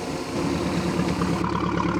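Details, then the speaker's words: 1976 MerCruiser 120 hp with an acceleration dead spot, after refitting the carburetor and fogging it, microphone at the back: pops right off into a smooth, even low idle with a steady firing beat and no stumbles; running normally. "that popped right off beautifully should smoke a little bit smell a little awful because I fogged the carburator"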